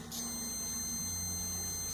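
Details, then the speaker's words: 2004 Honda Odyssey, driver's power door lock repair: multimeter continuity check on the jumper wire for the multiplexer circuit board gives a steady high beep of about two seconds, confirming the wire has continuity. "Okay, cool, so electricity can flow through here."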